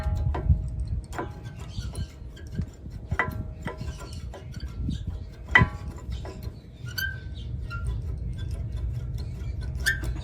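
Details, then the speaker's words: Honda Accord front brakes previously done by another shop: short high chirps and clicks over road rumble. Caused by unlubricated caliper, pads and hardware, with spreader springs also missing. "all that high chirping is due to lack of lubrication"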